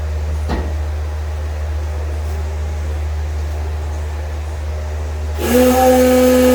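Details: Car "Fancy" after a 6.2 LS swap replacing a 406 SBC with an out-of-balance Scat crank, in a 102° shop: steady, even low idle rumble with no stumble or miss; a higher whine joins near the end and the idle stays smooth.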